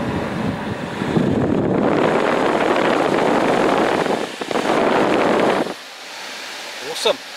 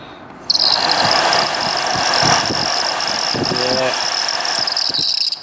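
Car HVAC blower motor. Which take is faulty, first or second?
second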